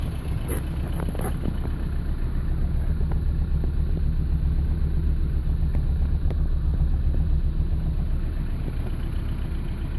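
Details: 1985 Toyota Starlet 1.0-litre 1E four-cylinder, all original parts: lumpy, uneven idle with occasional stumbles breaking the rhythm, consistent with a misfire.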